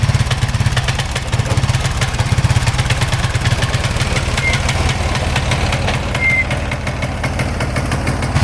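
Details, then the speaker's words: 2004 Honda Foreman Rubicon ATV, single cylinder: steady, slightly lumpy low-thump idle that runs only on full choke; dirty carburetor suspected, possibly weak battery affecting sensors; runs only on full choke. "all right you can see it's running with full choke on right now so I think the carbs uh dirty"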